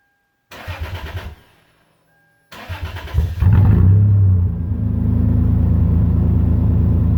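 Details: 2001 Toyota 4Runner, muffler removed, straight pipe with homemade 3-inch pipe Helmholtz resonator welded in: cranks, stalls, then catches into deep, loud booming idle with steady low drone.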